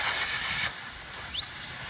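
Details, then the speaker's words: Air-down deflators set to about 20 psi on new Kenda Klever M/T2 mud-terrain tires, steady sharp hiss easing slightly; deflator bleeding the tire normally, shut off once hiss calms. "If you do use these kind of inflators, I've noticed it's still, you can hear that hiss pretty strong. As soon as that hiss kind of calms down, that's your key to shut it off."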